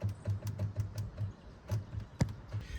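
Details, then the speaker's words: Wrecked, long-sitting Volvo 240 with B230 engine, key on: undercar inline fuel pump clunks about six times a second instead of humming; suspected stuck fuel pump from sitting, not confirmed. "Sounds like it's stuck. I hear it clunk, clunk, clunk, clunk, clunk, clunk."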